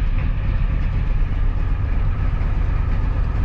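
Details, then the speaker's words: Ford 7.3 IDI diesel just after a glow plug controller replacement, hard starting: it has just lit and lopes slightly unevenly at idle with low clatter, running rough from air that got into the fuel when a fuel-line vacuum cap was replaced. "so that's why she was so hard starting she's still running a little rough because there's some air in there"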